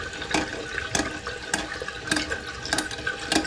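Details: Toilet running continuously because the fill valve float/water level is set above the overflow; constant rushing water with surges about once a second as the tank never stops filling; fixed by turning the adjuster counterclockwise until the water stops.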